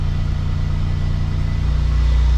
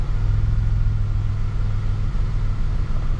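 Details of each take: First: Warm engine idling at about 1500 rpm instead of 750–800, low drone climbing on its own with no throttle input after the car sat two days; high idle from a faulty throttle position sensor (P0121). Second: Vehicle, idle settling after sitting two days with a high idle and throttle body cleaner sprayed in; throttle position sensor (P0121) suspected; steady, even low rumble with no surge, hunting or misses; normal idle coming down.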